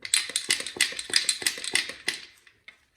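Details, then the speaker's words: Craftsman pressure washer engine torn down with head off, turned by hand: sharp, irregular metallic clinks and rattles from loose broken parts in the crankcase; connecting rod found damaged at the crank end. "something's rattling around in there so we just got to take off these these bolts and inspect"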